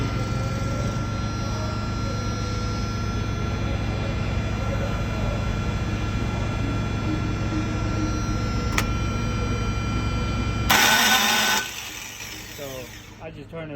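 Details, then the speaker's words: Thermo King refrigeration unit diesel with a crank-no-start complaint: steady drone, then a sudden harsh one-second metallic grind before it dies away; starter or flywheel engagement suspected, starter to be removed and inspected. "off because it's just going to grind grinding right here so we're going to take this flat uh starter off and check inside and uh we'll see what's going on so it does crank but it's not starting so wait for part two"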